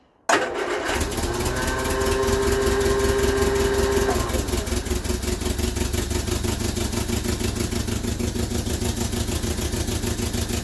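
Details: Vauxhall Viva HC barn find after a new fuel filter fills with fuel: brief crank, catches quickly and settles into a steady, even idle. Healthy now; the fuel pump-to-carb pipe, possibly blocked, is to be cleaned.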